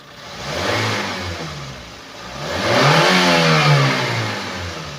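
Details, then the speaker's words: 2012 Daihatsu Granmax 1.5 pickup revved from idle: rises smoothly through two blips and settles back with an even exhaust note, no knocking or metallic piston rattle; engine healthy. "kita geber pun suaranya masih oke masih bagus masih aman enggak ada ciri-ciri yang kita sebutkan tadi"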